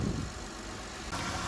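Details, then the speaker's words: Honda 3.5 L J35 V6 idling right after timing belt kit and water pump replacement; belt spins fine with a smooth, steady low hum and no pinging, crackling, ticks or misses; runs better than before; coolant still needs purging; normal idle. "belt spinnin fine there's no pinging there's no crackling there's no explosions sounds like a good job"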